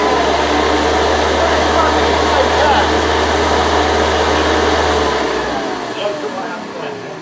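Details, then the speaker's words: Restored 110 V USA Hoover Convertible U4173 running lifted off the floor: steady motor hum with fast regular flapping rub about four times a second as the loose belt slaps; goes away on the floor. "you can just feel it. It'll just be flapping around in the wind."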